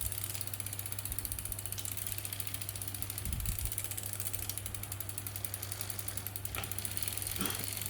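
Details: Brompton 6-speed hub giving fast, even ratchet ticking with a steady low hum while pedalled; the clicking changes between gears and was said to be normal.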